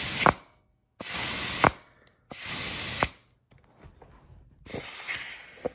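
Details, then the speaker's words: GM TH400 transmission being rebuilt for an LS-swapped turbo 1967 Pontiac GTO, clutch piston air check: short compressed-air bursts ending in soft thuds, no steady leak; the rattle stops as the clutches apply tight, so the piston works normally. "Okay, we've got movement. Hear it rattling around. Apply air. No rattling around. She's nice and tight cuz the clutches are applied."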